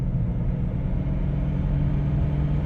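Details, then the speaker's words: 1997 Dodge Caravan LE driven on tar road after replacing the worn front right wheel bearing (had play and grinding): only smooth low road rumble, no growl or grind; front bearing now quiet and healthy. "oh yeah that's nice quiet and for once we got a win not even 4:00 yet look at that so now that the uh front right one's nice and quiet"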